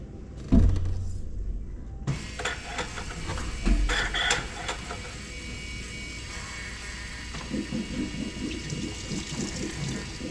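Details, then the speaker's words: John Deere 6115M tractor, key on after fuel filter change: quiet irregular gurgling and watery bubbling as the electric pump primes the new filter and purges air; normal fuel filter priming gurgle. "I hear it gargling and I think it's filled"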